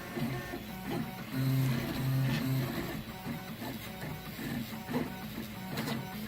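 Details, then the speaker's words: Genuine Pololu A4988 stepper driver running a stepper motor: smooth stepping hum with short steady tones shifting pitch as it moves; normal operation, though it runs warmer than a clone driver at similar current. "here's a look at what a genuine Pololu a4 988 sounds like and what temperature that it runs at"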